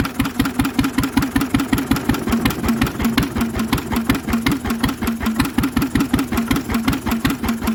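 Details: Lister engine on its first start in 40 years, on a little choke: slow, regular single-cylinder chuffing with a noisy exhaust, firing evenly with no misses or big-end knock; healthy, steady running.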